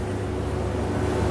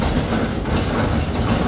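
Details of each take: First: Whirlpool 15 kg vented dryer on a 60-minute dry cycle after replacing the damaged drum roller: even, low drum rumble with no scraping, thumping or squeal. The earlier loud drum noise is gone and it is running normally. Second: Whirlpool 15 kg vented dryer heats fine but makes loud steady rumble with rhythmic clatter from drum side while running; drum tight by hand; worn drum support roller found, replaced to fix.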